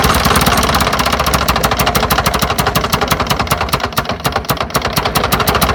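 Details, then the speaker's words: Lawn-Boy "bricktop" two-stroke mower, drill-spun: fast, even chuffing with no firing or speed pickup, cranks but never catches; owner suspects a plugged carburetor. "Carburetor's plugged up. Yeah, I think we got carburetor troubles."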